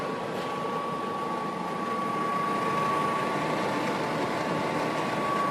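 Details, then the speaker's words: DeLonghi Pinguino portable air conditioner, temperature lowered to cool: steady even hum with constant fan rush and smooth compressor drone, no knocks or rattles; ice-cold air, normal compressor running. "Right now you hear the fan, you're going to hear the compressor kick on. Now that is ice cold right there. You can hear the compressor going."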